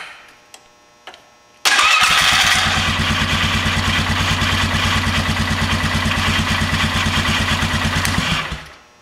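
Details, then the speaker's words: 2000 Polaris Sportsman 500 ATV, test crank after starter replacement: even, fairly fast cranking with a slightly dragging, catching whir for about six seconds, as if something is hanging up, possibly rust; likely how it always sounded; starter cranking with hang-up sound. "I'm not sure sounds like something's hanging up"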